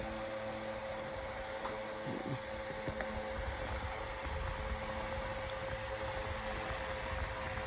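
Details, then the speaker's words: 9-inch Airtek high-velocity fan on medium speed, running a lot faster and a little loud: steady even hum with constant whoosh of air, no rattles or pitch changes; normal fan running on medium. "It's going a lot faster on medium this time. Pretty I'm I'm surprised. It's getting a little loud."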